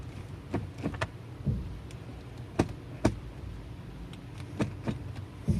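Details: Transmission noise only in reverse: a quiet idle broken by scattered dull clunks and knocks (shock) as reverse goes in; the cause of the harsh engagement clunk is not yet found.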